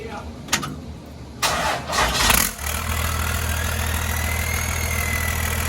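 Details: 1993 Cummins D350 chassis with 12-valve diesel and automatic, started in Park with driveshaft hanging to check alternator charging: brief crank catches at about two and a half seconds, then a steady, even low idle with no knocks; healthy start, nearly 14 volts charging.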